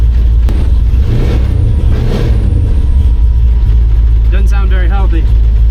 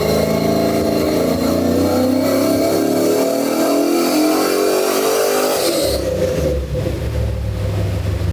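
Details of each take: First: 1953 truck with LS swap on Holley EFI, after a new tune file was built from scratch: loud, deep V8 idle with a lumpy, uneven beat; misfiring, running on seven of eight cylinders, cause not yet found. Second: 1953 truck with LS swap and Holley EFI, after fixing an unusual EFI problem: clean, even pull with tone climbing smoothly through the revs, then a crisp lift-off; normal engine under load on all eight cylinders.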